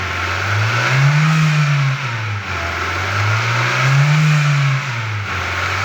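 A low hum rises and falls as the engine is revved twice, droning under the engine note; source not pinned down. Cause suspected, not confirmed.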